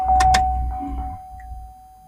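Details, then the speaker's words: New fuel pump in a 2003 Chevy Suburban, tank out of the truck and hooked up for testing, primed with fuel flowing into a gas can: faint steady even-pitched whine after handling knocks, pump running smooth and healthy after replacement. "And she's flowing. Oh, yeah. We're good to go."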